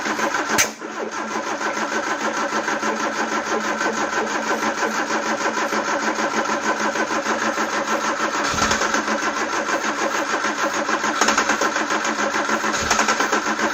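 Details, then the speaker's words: Peugeot 309: long, steady, even cranking that never catches. The camshaft-driven mechanical fuel pump needs fast cranking to pump, the battery needs charging, and more petrol is needed. "Basically, you've got this pump that's driven off a load, normally off the camshaft. So you need the engine turning at a fairly high speed for it to actually start pumping."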